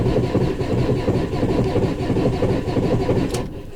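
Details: 2019 Maxus V80 no-start: even starter cranking, about four compressions a second, never fires; codes P0335/P0336, crankshaft signal status unknown, traced to a crankshaft position sensor fault.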